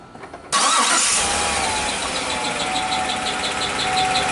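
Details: 2016 Chevy Suburban with rebuilt transmission, noise between engine and transmission; engine catches and settles into a fast idle with busy metallic clatter; engine noise at startup, later found to be caused by low oil.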